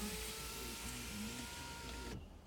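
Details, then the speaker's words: 2008 BMW 328i, rear-wheel drive, 3.0 L automatic, 154,521 miles, brought in with undercarriage and engine damage, no start: power window run down with a smooth, steady motor hum of constant pitch, then a clean stop; normal power window operation. "so we'll go ahead we'll put the window down come on up you get I'm just gonna leave this thing down very comfortable"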